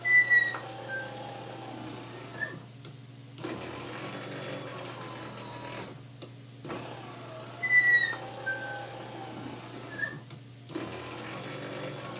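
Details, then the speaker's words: 1941 Dodge WC power window after new wiring: the motor drones in runs of a few seconds with high chirps and squeaks as the glass travels, sounding dry and stiff. Owner suspects it needs lubrication, possibly white lithium grease; squeaky window operation. "sounds like we could use some oil or something on this thing or something but we don't want to grease it because when you grease it then if it's cold out then nothing wants to move"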